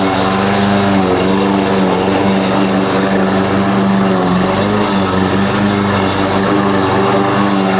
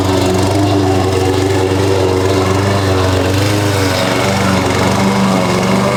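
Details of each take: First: Husqvarna push mower after carb cleaning and oil refill (Rotella T6), mowing: buzzing drone sagging as it drags with a backfire; cut height set too low; owner suspects loose blade rattling underneath. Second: Husqvarna push mower that sat over 4 years, after a clean carb and correct oil level (Rotella T6): steady even single-cylinder putter at constant throttle, no misses or surging; a loose blade suspected rattling underneath.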